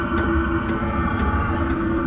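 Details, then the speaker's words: Webasto gas heater in a Ford Transit van, first fire-up after pre-primed lines: steady blower and burner roar with a light, even tick about twice a second from the fuel dosing pump; heater running normally. "got my air going the other way you can hear the fuel thing ticking"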